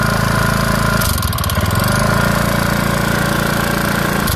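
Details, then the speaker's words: Honda Beat FI scooter with a noisy engine whose knock sometimes disappears. Uneven knocking comes and goes over the busy single-cylinder idle. A connecting rod fault is doubted because the noise comes and goes; source still being traced. "Kasi ang unit na ito, umiingay lang siya pero merong pagkakataon na nawawala yung kanyang ingay."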